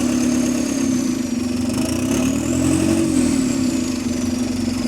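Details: GAL SE152 diesel bus idling and revved in neutral, recorded from outside. A rough, loud idle with a raspy edge that swells on revs. An exhaust leak is suspected, possibly a dented exhaust pipe, but this is unconfirmed.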